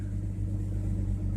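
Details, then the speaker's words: 1989 Jeep Cherokee XJ Renix after fan clutch replacement, no working electric fan, idling at 110–112°C: steady low engine rumble with even fan hum, fan speeding up on throttle as the gauge drops; fan clutch working normally. "As soon as it starts blowing air, the temp goes down, so it works as it should"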